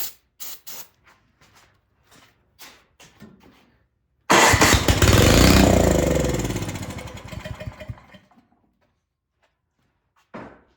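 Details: Craftsman snow blower that sat unused and won't start, carburetor suspected gummed: starting fluid sprayed into the carb, silent pulls then a burst of firing that dies within about four seconds; spark confirmed, fault fuel-side.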